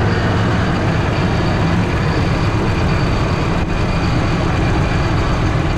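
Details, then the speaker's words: Ford F150 5.4 3-valve V8, right-hand drive, with cam phaser and timing chain problems: deep, lumpy idle with uneven low thump, really rough, owner suspects running on about three cylinders. "I'll just crank him over and we'll have a look but I think he's on about three cylinders here you go like it is really really rough"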